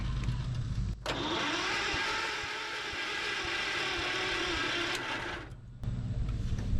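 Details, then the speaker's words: John Deere 110 mower sat about 10 years, battery reading charged: starter cranks engine about four seconds at an even rhythm but it never fires; gas smell noted, cause unconfirmed. "Battery is reading as charged. It did something for a second there. Oh, it wants to crank over."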